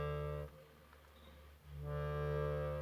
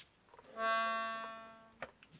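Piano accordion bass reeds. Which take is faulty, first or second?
second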